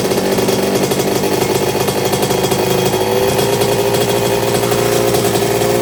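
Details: 1982 Suzuki RM125 two-stroke, freshly restored engine on first test run, cooling water issue noted for later: crisp buzzy crackle rising cleanly as throttle opens, no knocks or misses; engine sounds really good.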